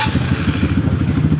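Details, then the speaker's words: Kawasaki KLX BF after replacing the starter one-way clutch rollers: a short electric-start crank catches straight into even firing with no slipping or grinding; the starter no longer slips or runs rough. "sip ini sudah jos Ya sudah tidak ngelos lagi sudah tidak kasar lagi starternya"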